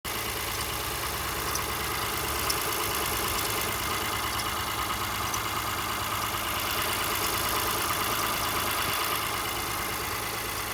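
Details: 2018 Honda Ridgeline Sport, about 30,000 km, parked after cold start, passenger side of engine: steady idle with faint, intermittent high-pitched chirps or squeaks not in sync with rpm; disappears once warmed up.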